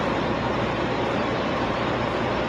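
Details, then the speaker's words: DuroStar DS4000S portable gas generator (7 hp air-cooled OHV, 3300 running watts) powering a 10,000 BTU air conditioner inside a truck: steady, even engine roar with no surging or misses under the load. Running healthy. "And inside my truck, it powers up a 10,000 BTU air conditioner."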